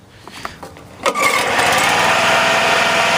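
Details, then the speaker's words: 1980s Honda HR194 push mower started with the blade engaged: the engine runs fast with an ear-splitting, thin high squeal over it. The squeal is worse with the blade disengaged; owner suspects the blade clutch, which could be fixed by replacing it. "yeah but the screeching sound it makes is just your ear splitting I mean and I'm not over exaggerating or anything that that sound is you're splitting so we just think that's the blade clutch that can be fixed if we just replace it"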